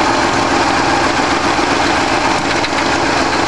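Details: A freshly rebuilt 1965 Ford 352 V8 in a wagon gives a loud, steady idle with an even beat and no knocks or misses; it runs smoothly after the rebuild.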